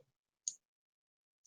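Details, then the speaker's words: Relay driven by an Arduino running the blink sketch, on one second and off one second, red power light steady and green LED flashing: two crisp clicks exactly one second apart in a quiet room, switching normally. "the red light is staying on constantly I think that must be telling me that it's got power and and the green light is going on and off and you can probably actually hear that clicking"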